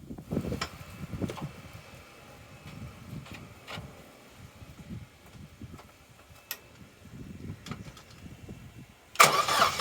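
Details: Corsa B that sat neglected 4-5 years, cranking after fresh fuel added: sluggish, uneven, laboring turnover too slow to fire; owner suspects weak battery, plans spark plug fuel and spark checks. Slow cranking, no start.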